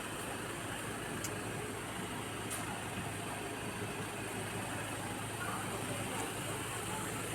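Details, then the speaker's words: Ford Ranger 2.2 diesel with an intermittent hard-starting problem, started after scanner work: quiet, steady idle with a low, even hum, no stumbling or hunting; it starts easily and the hard starting seems gone. "Aba, parang sureb na. Parang wala na yung hard starting ah."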